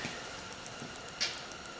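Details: Old Kleer Flo parts washer, not working, with its worn, sloppy rotor ball bearing giving faint uneven light clicks over a steady hiss as it is turned slowly by hand; the bearing and oil seal are to be replaced.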